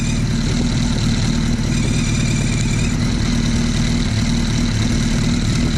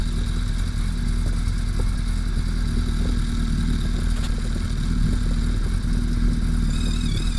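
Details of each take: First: Suzuki Hayabusa Gen 1/2 after counterbalancer shaft adjusted about a quarter turn, centred between the F and G marks: steady, even idle with a smooth low beat, no rattle or whine on top. Normal idle. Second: Gen 1/Gen 2 Suzuki Hayabusa, running with fan on, counterbalancer externally adjusted: steady idle with dry metallic clatter as the balance shaft is turned too far and rattles; whine heard the other way, set between the two.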